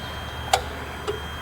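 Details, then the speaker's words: Dodge Sprinter van that can't exceed 40 mph with dash lights on, EGR valve commanded open: two sharp clicks about half a second apart; the valve is suspected of sticking, possibly from carbon. "actually I heard a click I don't know if you heard it oh it's clicking I don't like the way this valve is clicking so it could be sticking"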